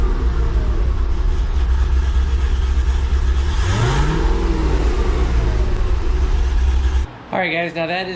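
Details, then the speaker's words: 2005 Chevy Corvette with 2-inch headers after exhaust leak fix (new welded V-bands, new gaskets, Permatex high-temp RTV): clean idle then smooth blip, no ticking or puffing; smoothest running in months, normal. "the smoothest I've had this car running in many many months"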